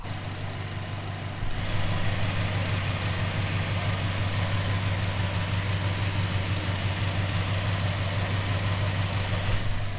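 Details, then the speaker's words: 1970 Plymouth Fury III convertible with 318 V8 and 904 automatic, after maintenance including a fuel filter; idles with a low steady rumble under a constant airy hiss and thin high whistle from a vacuum leak. "you guys can hear that right the vacuum leak"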